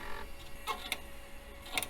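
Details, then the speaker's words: Old Compaq system's hard drive at power-on, after disassembly and refresh: faint irregular clicks and chirps over a quiet hum; the drive sounds ill, and the owner suspects the head is sticking and unsticking, though the system posts and boots. "seems like the head's getting stuck and unsticking itself it is making it though"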